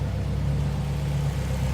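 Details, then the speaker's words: 2005 Subaru Impreza WRX STI turbo engine at about 44,956 miles, idling: even, deep, smooth low rumble with no ticking, knocking or funny noises and very little piston slap; normal idle. "Everything sounds as it should. No funny noises."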